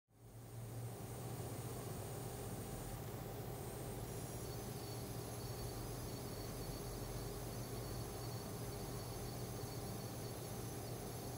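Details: AMD Radeon HD 7990 running The Witcher 2 EE, only in menu and loading screens: steady high-pitched electrical coil whine and buzzing over low fan hum.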